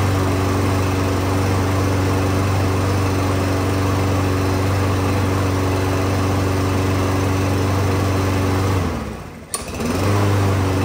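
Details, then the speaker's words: Small Briggs lawn mower engine after straightening its bent crankshaft and fitting a new blade, having vibrated badly before: steady, even drone with no shake or knock, brief dip and clean recovery; normal running after repair. "hey we got that crank shaft straightened up pretty good on that little Briggs motor"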